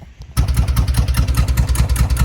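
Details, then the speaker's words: 1971 Karmann Ghia engine after sitting over 20 years, oil leak fixed with new part: catches and settles into an uneven, lumpy idle with wandering pulses; idling rough, needs tuning, no oil leaks. "It definitely needs some help. But we have no oil leaks. All that's left to do now get it idling a bit better, and then we're good to take this thing on its first proper drive."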